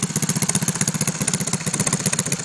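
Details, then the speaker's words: Mini bike with a Predator 6.5hp single-cylinder engine and a swapped one-quart gas tank: quick, even exhaust pulses at a steady idle with no misses or knocks; normal running with good compression. "Good compression little engine. I can feel the compression all the way out to here, which is about 1.5 foot away."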